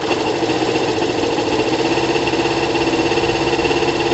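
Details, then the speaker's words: Kawasaki ZL600 after valve adjustment, new coils and resealed exhaust, on choke, warming up, about 3 L fuel on reserve: steady even idle with smooth quick patter, no exhaust hiss or puffing; healthy. "the bike needs a couple of minutes to warm up it's uh significantly quiet ear guys you can't hear any air escaping from the exhaust it's great news you can just hear the engine the engine sounds great"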